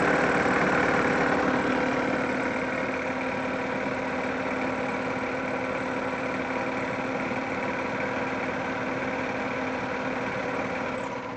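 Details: 1999 Yamaha G16 golf cart engine at steady idle with a constant high-pitched drive belt squeal; cause not found.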